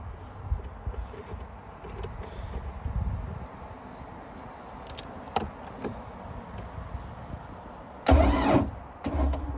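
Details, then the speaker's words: Free boat's motor cranked in neutral, alternator wires found unconnected: two short bursts of steady starter cranking that never catch or fire — cranks but no start; owner suspects no spark or too-slow cranking, unconfirmed. "No spark. Either no spark or it's not cranking fast enough, so I guess we'll take out the plug, see what it looks like."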